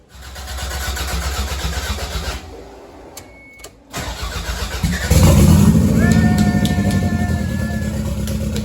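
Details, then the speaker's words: Toyota MR2 with a 3SGTE Gen4 engine, first start after refitting the fuse, exhaust not yet fitted. Brief crank, then it catches at once on one bump and revs steadily with no stumble. Healthy start. "The car now that we fired it, it just one bump and it starts right up."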